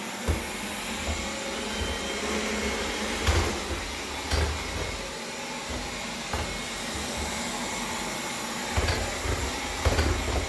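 Constant motor whir broken by irregular gritty grinding bursts about once a second; something is grinding inside the robot vacuum, cause not yet known.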